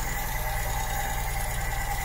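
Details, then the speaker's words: 1972 Ford Cortina Mk3 GXL at idle after a tune-up: a light, fast, even tick over a smooth idle, the normal ticking of the PCV valve. "ticking you can hear is the pcv valve they always tick"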